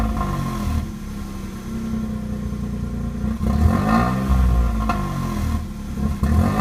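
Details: Vauxhall/Opel Corsa B 1.0 petrol engine revved, stumbling and uneven as the throttle opens, like a misfire on tip-in; also randomly cuts out while driving. Cause not confirmed.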